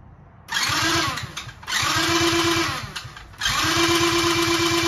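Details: 50cc Kazuma Meerkat Chinese quad during rebuild, after a grinding noise on earlier tries: three short bursts of quick even cranking with clean starter whine, no grinding; starter engages properly, engine holding about 100 psi compression.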